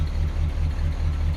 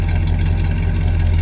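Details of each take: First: 1966 Ford Galaxie 500, first start in 44 years, ignition points arcing slightly: with the brake pedal held, the low idle lopes with uneven pulses as vacuum is lost, and it smooths when the pedal is released. Vacuum leak in the power brake booster. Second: 1966 Ford Galaxie 500 V8 on its first start in 44 years, with slight roughness around 1200–1500 rpm, arcing points and a brake booster vacuum leak: a steady, even low rumble with no knocks or misses. Normal idle.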